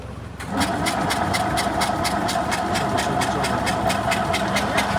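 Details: Isetta, with spark, fuel from temporary tank and air confirmed: steady cranking about four turns a second with no firing; won't start, ignition points timing suspected.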